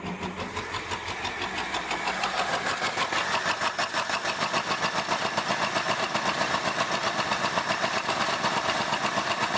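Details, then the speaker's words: 1975 Ford Granada V8 revived after years of neglect, idling rough and shaking, picking up and dropping a cylinder; unplugged vacuum tree, suspected vacuum leak, not running on all 8. "Shakes pretty bad. Oh, there we go. Picked up a cylinder. Oh, and it's gone."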